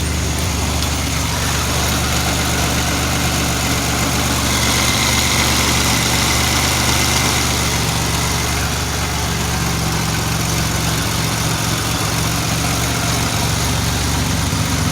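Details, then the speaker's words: 2007 Pontiac Grand Prix GT after fixing crank-no-start, apparently via the fuel pump relay and new spark plugs: cold start, steady even idle with smooth low rumble, cam audible but not loud, no misses or knocks; small exhaust leak noticed near rear manifold; normal idle. "damn yeah listen to that cam cold store it's really not super loud though"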